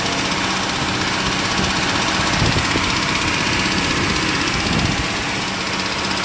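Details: 1998 Jeep TJ Wrangler with a 4.7L Summit Racing stroker, about 50k miles, pistons replaced but not wrist pins: revving with a light metallic rattle about four taps a second; owner suspects wrist pin or piston slap, unconfirmed.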